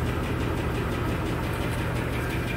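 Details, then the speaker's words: 2015 GMC Sierra 5.3 V8, cold, codes P0300, P0304, P0172, P0324, rough stumbling idle: quick light ticking with engine speed; bent #4 exhaust pushrod off its rocker arm but still pushing it slightly. "got a significant ticking noise in the engine check engine light is on the customers complain about running rough stumbling"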